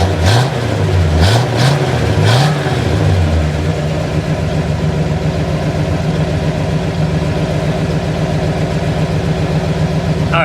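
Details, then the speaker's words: 1968 Pontiac GTO V8, warm after a highway drive (about 180°F, about 48 psi oil pressure at idle): three quick, clean throttle blips rising and falling smoothly, then a steady, even idle with no knocks; healthy engine. "come back here and listen to it she sounds pretty good let's uh set the camera down to give it a rev"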